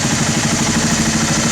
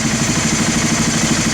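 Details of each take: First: Honda TRX300 ATV that sat for 5 years, with the carb cleaned and refitted on a new fuel line, during pilot screw adjustment: even single-cylinder idle that rises off the lean side and drops when rich, seeking the fastest idle. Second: 1991 Honda TRX300 4WD that sat five years, after carburetor cleaning, new fuel line and pilot screw adjustment: even single-cylinder thumping at a steady idle, no hunting or stumbling, some hiss; healthy, well-set idle.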